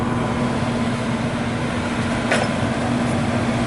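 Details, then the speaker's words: American Standard 90+ gas furnace with a no-heat call, previously fan blowing but igniter not glowing; exhaust inducer fan hums steadily with even airflow and no rattle while the igniter glows. Loose wires were later found to be the fault. "Turn it. Alright, so exhaust fan motor's coming on."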